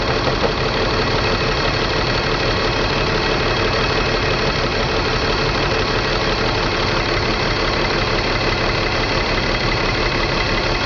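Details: BMW 325 M54 every-morning cold start: dense idle drone with lumpy beat and irregular stumbles, misfire codes on cylinders 3 and 5, sometimes 4; CCV, plugs, coils, fuel filter replaced, injectors cleaned; stops once warm, cause not found.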